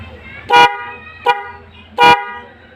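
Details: Motorcycle Boss Strider snail (keong/Denso-type) loud horn, switch pushed right, used on main roads: three sharp honks, two long and one brief, steady rich tone with strong low body; horn sounds right.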